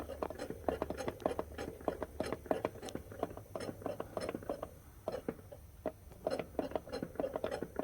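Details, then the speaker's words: Chevy Suburban on a lift in two-wheel drive: irregular dry scraping and clicking inside the seeping transfer case as the front driveshaft is turned by hand; owner suspects a stretched chain from possibly low fluid, needing a transfer case. "scraping inside so yeah I really think the chain is stretched like I might have gotten low on fluid at some point"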